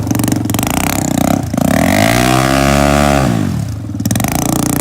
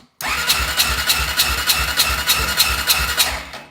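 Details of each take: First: Honda 400ex single-cylinder after a head gasket repair, compression up from 30 psi to 115 psi: it picks up cleanly on each blip and drops back to a steady idle, running better with more power. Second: Honda 400EX after recent rebuild and new head gasket, compression 30 psi versus about 90 normal: starter cranks a fast, even whir about three and a half beats a second with little resistance; low compression, blown head gasket, owner suspects warped head or loose bolts.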